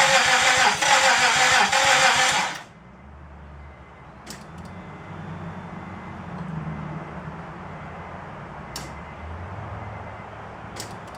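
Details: 2004 Honda Pilot, first start after engine and transmission swap, after reconnecting the main relay: quick cranking burst, engine catches, then a quiet, steady idle with no knocks or misses; running normally.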